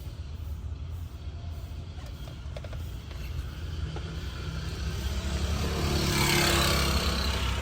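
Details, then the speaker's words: Second-hand Mitsubishi L300 FB dual-aircon van, Euro 4 diesel engine with new battery, started with the engine bay shown: even, low diesel rumble holding steady with no knocks or rattles, sounding like new; normal idle. "Oh, binuksan ko yung engine. Ayan po, maririnig niyo yung tunog. Di ba? Parang bago talaga."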